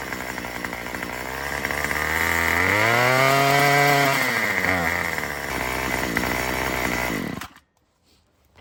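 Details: Murray M2500 two-stroke trimmer with a freshly installed carburetor kit, untuned; revs up, then sags and drops off unevenly under throttle before cutting out. It bogs from an untuned mixture.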